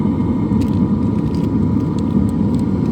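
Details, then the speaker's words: LF Bros 5 kW diesel heater running at a campsite, fuel tank full, heat ducted into a tent: steady even roar from blower and burner, no surging, knocking or gaps; running normally. "you crank this thing up all the way man it'll it'll toast you up all right so we got some heat coming through here now"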